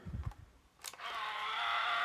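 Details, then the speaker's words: Sony Walkman cassette player on battery, play pressed: a thin, steady motor whir with no load while the spools don't turn. The motors run but the drive belt is broken or missing. "so you can hear the motors going, but you can see that it's not driving the spools. So the motors are running, but there's the belt that makes the spools work and all the other mechanics work is not there."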